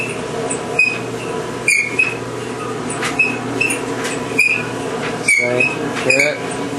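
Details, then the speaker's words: GE clothes dryer running: high chirping squeal about once a second, worsening to screaming as it runs, from worn rear drum bearing; bearing and belt to be replaced. "as it goes on it starts screaming squeeing so I'm going to show you how to fix fix it um it's just the bearing in the back"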